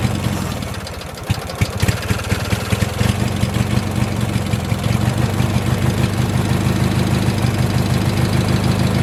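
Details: 1986 Murray lawn tractor after carburetor work and a choke-plate fix: short crank, then a steady, even low putter with no misses or knocks; starts right away and idles well.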